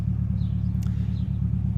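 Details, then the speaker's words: Boosted Civic with Sea Foam just added to the crankcase, idling before reaching operating temperature: a steady, even low rumble with no knocks, ticks or misses. Normal idle. "But she sounds good right now, so I'm just gonna let her run, let her get to full operating temperature."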